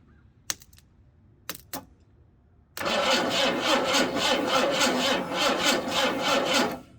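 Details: Ruby, starter possibly worn, two-stroke mix squirted in: a few clicks then about four seconds of steady cranking at roughly four beats a second that never catches. Timing light shows no spark at number one plug; ignition power suspected.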